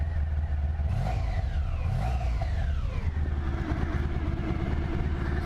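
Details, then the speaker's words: Honda ST1100 motorcycle, warm after sitting a little: idles steadily, revs cleanly twice and settles back with even firing and no knocks or rattles. Normal idle and revving. "pretty solid. Maybe I say real solid."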